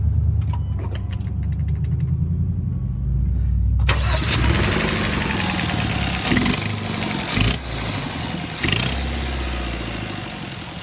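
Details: 2014 Hyundai Sonata 2.0T starting and revving with harsh hissy chuffing swelling on each blip; owner first suspected a failing turbo but found an exhaust leak.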